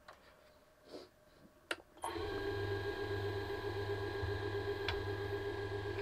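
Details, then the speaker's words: Wet pecan bowl on a lathe, navigator gouge near the rim: steady spinning with fast, uneven rattling chatter as the tool bounces on a bowl already gone out of round. "You hear it chattering? That's because it's out around already."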